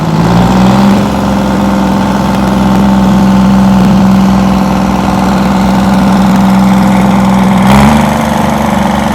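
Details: 60-year-old Massey Ferguson 98 tractor with a Detroit Diesel GM 3-71 two-stroke, first run after restoration: loud, even two-stroke diesel drone with a steady low hum that eases slightly near the end; runs smooth and healthy.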